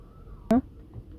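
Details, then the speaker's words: Tesla Model 3 Performance front brakes: one short sharp groaning creak as the brake pedal is pressed or released at standstill, also when turning the wheel while parking; stops once moving. Owner plans brake burnishing via Service Mode as the fix. "Cuando aperte el freno también cuando me estoy estacionando, mira cómo suena. Mira, si piso y suelto el freno, ¿cuándo hago esto?"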